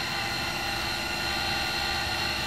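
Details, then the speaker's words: Cincinnati Monoset MT tool and cutter grinder, main wheelhead running: smooth even whirr with steady hiss, no rumble or grinding, slight common belt noise at rear; spindle bearings in nice condition. "can hear the bearings sound like you're in a really nice condition no unusual noises you hear a little bit of bolt noise in the back - that's common"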